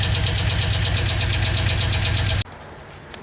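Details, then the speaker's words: 2015 Chevy Express 4.8L V8 van, heard at idle with the doghouse open and seat removed; customer reports knocking, seemingly from the right side. A quick steady tick about four per second over the engine; lifter knock. "Now that we got a better look and better access to everything, let's fire it up and take a listen here. That sounds like you got a lifter knob."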